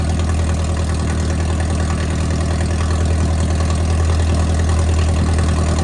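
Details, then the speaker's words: MerCruiser 3.0 marine engine with a cracked block, warm idle with water hooked up: steady low drone with a slightly uneven pulse about three times a second. Cylinder 4 misfire; its plug came out wet with water, possible head gasket. "uh yeah it's running good I'm going to look into that mire a little bit on cylinder 4"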